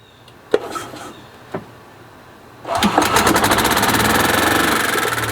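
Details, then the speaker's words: 1999 Club Car gas golf cart single-cylinder after valve adjustment, new fuel lines, filters, fuel pump, air filter and carburetor: clunks, then fires without choke into a quick, even beat near 200 per minute; running perfectly. "So that's working perfect. I think that did the trick. I didn't have to choke it, didn't"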